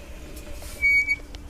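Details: Royal Enfield Classic 350 Reborn, rear disc pads replaced four times in eight months, bike rocked back and forth: short, sharp high squeal about a third of a second long from the rear disc brake, recurring noise.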